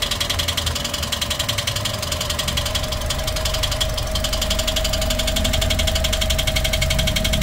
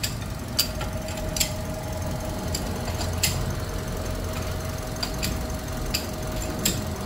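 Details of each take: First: Toyota 1NR-FE engine with nearly 400,000 on it, idling before repair: fast steady ticking rattle, about four per second; loud timing chain noise; timing chain later replaced and hydraulic lifters cleaned. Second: Toyota 1NR-FE engine with nearly 400,000 on the clock, idling warm after replacing timing chain and tensioner and cleaning strainer and hydraulic valve lifters: steady even idle, faint constant whine, only scattered light ticks; engine now quiet.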